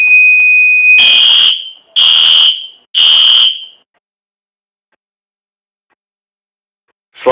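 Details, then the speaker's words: Fire-Lite MS-2 conventional fire alarm control panel running a simulated fire alarm with no batteries connected: steady high beep, then three even pulses about one second apart before going quiet. Panel alarm sounds normally. "So again, this is one perfectly good unit. So let's just go ahead and do a simulation of a fire alarm."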